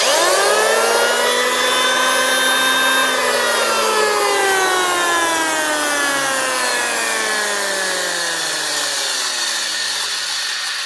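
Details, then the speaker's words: 2006 Makita 1923H 110 V corded hand planer spinning up and coasting down: thin high squeal over motor whine from worn bearings, likely drum bearings, before replacing all bearings. "Bearings. Hear them squeals."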